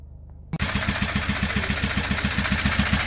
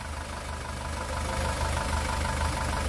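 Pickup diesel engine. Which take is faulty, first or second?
first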